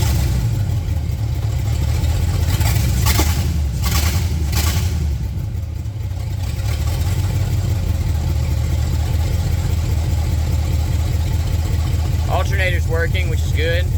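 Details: Engine with open header, idling for the first time since installation, after having seized months earlier: deep, steady idle holds after a brief rev blip with no hunting or misfires; idle doesn't sound great but is idling fine, oil pressure reading okay.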